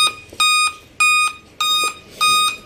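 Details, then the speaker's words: Dell Inspiron 3567 laptop at power-on, display working normally; repeating groups of five sharp high beeps continue; 5-beep startup code, back cover to be opened for diagnosis. "आप यह ऐसे ही beep लगातार sound इसकी ए रही है display भी इसका ए रहा है बिल्कुल ओके चल रहा है लेकिन ये बीप की साउंड जो है ये ए रही है"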